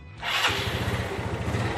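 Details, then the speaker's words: Yamaha Mio Sporty scooter after CVT service for noisy, rough CVT sound and cable tidying, started before body refit; quick catch, steady even idle with no rattle from the belt drive, starts easily and holds idle, normal. "[ sepertinya sudah tidak ada lagi masalah ] [ motor bisa ON dengan mudah ] [ dan bisa statisioner dengan lama ]"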